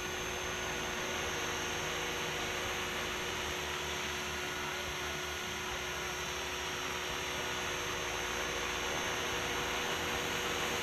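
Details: Align T-Rex 550 electric helicopter on a 5-cell 5000 mAh battery, test flight after replacing a failed slipping one-way autorotation bearing: steady high motor whine and even rotor hum with no knocks, rattles or grinding. Running normally.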